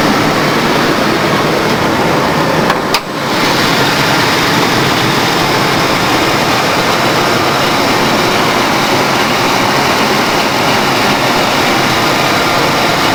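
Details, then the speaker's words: 1992 Ford Crown Victoria ex-police car, stock 4.6L V8, mileage unknown, idle recorded under the hood after a cold start following a week of sitting. Smooth, constant whir and hum, no knocks or misses; healthy. "sounds good 4.6 L V8"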